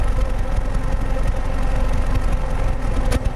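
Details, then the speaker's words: 2008 Pontiac G5 2.2L Ecotec, 244k miles, new plugs and coils, recorded at the tailpipe at idle: deep rumble with irregular puffs and RPM wavering, an intermittent cylinder 4 misfire setting P0300; smooth under load; cause unconfirmed. "right there boom boom boom boom the RPMs are kind of going up and down it looks like cylinder four"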